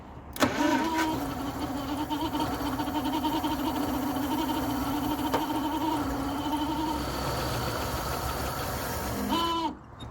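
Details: 1948 Packard Super 8 straight-8 flathead, sat since the early 1980s, started with 6-volt charger boost: catches almost at once and settles into a steady, even idle until switched off; low compression found on cylinder seven.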